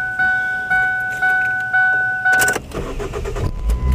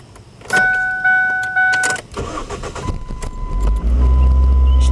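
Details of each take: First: 2005 Ford Focus after fuel filter replacement and fuel pump fuse reinstalled (fuel lines drained): chime beeps, short crank, engine fires quickly and settles into an even idle; normal start. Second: 2005 Ford Focus with the fuel pump fuse pulled to depressurize the line before a fuel filter change: the engine catches, runs unevenly for a couple of seconds, then dies as fuel pressure runs out. Engine stall from fuel starvation.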